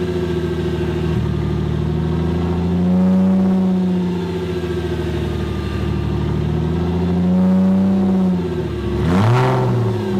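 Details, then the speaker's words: 1998 Porsche Boxster after an engine swap, on a cold start: the engine surges and sags in slow waves of a few seconds, with blips in between, and never settles to a steady idle. The idle is unstable. "the thing i'm using right now and i guess josh is saying this was pretty normal when you swap an engine is it's struggling to find idle"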